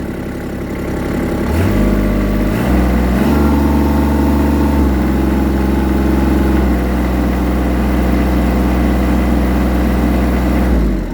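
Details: Kubota L3800 HD tractor diesel, 75 hours, owned about three years, just started after glow plug preheat: steady diesel clatter stepping up cleanly as revs are raised and settling evenly, no misses or knocks; healthy idle.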